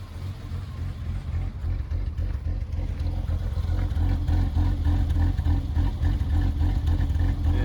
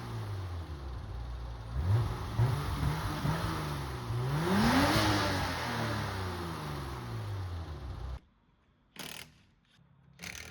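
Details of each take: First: BMW E30 petrol six, long-term rich running with black smoke: low lumpy idle with uneven pulse, rough idle; compression about 135–160, fine. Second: BMW E30, previously running rich with black smoke, after clearing the fuel return line with a bicycle cable on a drill: revs climb and settle evenly, no more smoke, only slight roughness left, much better running.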